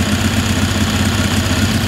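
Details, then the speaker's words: Ingersoll 448 riding tractor with Briggs & Stratton 18hp Vanguard V-twin idling with a heavy lumpy throb, bogging and running rough once the more restrictive OEM Briggs air filter is fitted; runs smooth with no filter or a STENS filter. "we're going to be placing the oem briggs air filter on top and we're going to let that sit for a minute and almost immediately you can hear the engine start to bog out and it's running rough"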